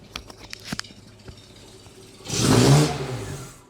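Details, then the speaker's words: Datsun 120Y after filter and oil change, timing and idle adjustment, and a new air filter: one quick rev blip that drops back smoothly to a steady idle without stumbling, though it sounds close to cutting out. "this sounds so much like it's going to cut out but it just catches so smoothly"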